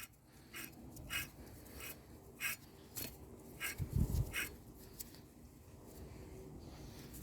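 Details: 2005 Toyota Corolla 1.8 driver's-side front steering knuckle removed, hub spun by hand: gritty, rhythmic rasp about every half second from a worn, failed wheel bearing; both fronts noisy, knuckle assembly being replaced.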